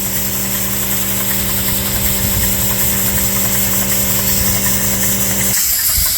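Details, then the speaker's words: Dake square-piston steam engine with reversing valve driving a capstan/windlass, running on compressed air; steady, even chuffing with a constant hum and no knocks or misses. It runs smoothly but uses a lot of air. "But that doesn't sound like a model T. It's an air hog though."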